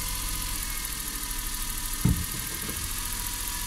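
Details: Suzuki Every 62V kei van left unused about 4 months, just started on its own battery without the jump starter despite low voltage: quiet, smooth, even idle hum with one brief handling knock; running steady and healthy.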